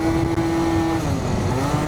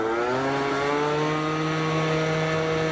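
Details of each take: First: Stage6 Yamaha BWS 70, still cold on a test ride: a high, steady two-stroke buzz revving far too high for road speed; variator rollers too light. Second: Yamaha BWS 50 bored to 70cc with a Stage6 kit, on a test ride after the plug was checked and the rollers adjusted. A clean, steady two-stroke buzz at quarter to half throttle, pulling strong in the power band without over-revving; running normally.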